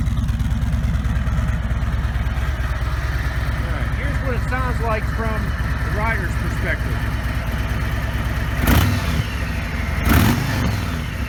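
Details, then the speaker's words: 2017 Harley-Davidson Ultra Limited (FLHTK), Milwaukee Eight 107ci V-twin; even low idle thump then smooth, quiet revs, no knocks, owner says it sounds like a Honda now; normal idle and revving. "I used to have people use this or they might even still it sounds like a Honda now"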